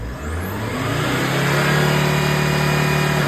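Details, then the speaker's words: VW Crafter 2.5 diesel first start after valve stem seals and timing belt were changed: it catches and the revs climb smoothly and hold steady without knocks or misses; the engine sounds healthy. "Right, that's it back together. So I shall start it up and see if everything looks normal. So far so good. Just started crafter up."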